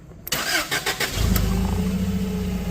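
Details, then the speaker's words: Toyota 8FGU25 LP forklift with red oil pressure warning light on at idle; brief crank, quick catch, then steady low hum with no knocking or rattle; engine sounds fine, owner suspects faulty oil pressure switch and plans to replace it. "That is your oil pressure light. So, check the oil. Motor sounds fine."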